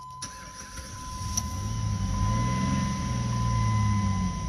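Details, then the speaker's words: Jeep (stated as 2006 Jeep Liberty, also called a Compass) that died on the turnpike, crank no start with three-quarters tank, fuel pump recently replaced; sprayed fuel makes the engine catch and run rough briefly, then sag and stall, so fuel starvation, pump suspected faulty. "see but it doesn't maintain it because it's definitely something wrong with the pump"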